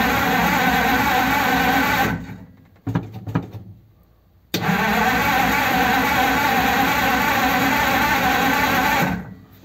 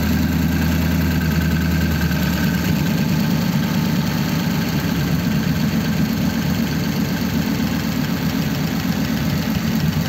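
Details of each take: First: 1933 5-window coupe, crusty flathead, parked nearly 3 years, choke on after priming: steady cranking about three turns a second, stops, cranks again without a single catch; no spark. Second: 1933 5-window coupe, worn "crusty" flathead V8 started after nearly 3 years parked, idling in a closed garage through dual pipes with very short mufflers: even, steady low burble with a soft regular beat and no knocks or misses; normal idle.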